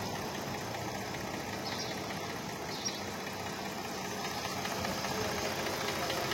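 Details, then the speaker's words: Mercedes 663 AMG V6 with no pickup and misfire; uneven idle with irregular stumble two or three beats a second; coils on one bank, three cylinders, found not working, plugs also bad; all six coils and plugs to be replaced; rough idle. "তো friends আমরা check করে দেখলাম যে coil খারাপ আছে এটার তিনটা একটা হেডের পুরা কাজ করতেছে না"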